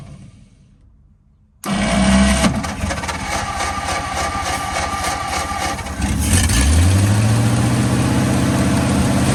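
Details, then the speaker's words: 1948–49 Ford F-5 flathead V8, sitting about 50 years, diesel added to the oil pan, first start: cranks, catches abruptly, then runs lumpy and uneven before revving; rough, weak firing, seems low on compression. "okay we need a little bit more throttle cuz she seems to still be low on compression"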